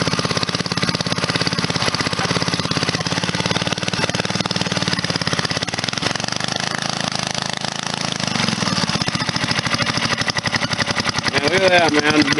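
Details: Briggs & Stratton 2–8 HP points engine after starter clutch, points and condenser service and a cleaned plug runs with a fast, steady beat, holding speed without missing or surging, no smoke; normal running.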